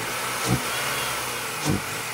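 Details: BMW E46 engine running: engine hum with two sharp pops about a second apart, each with a brief hiss, a shooting noise from somewhere; suspected intake vacuum leak.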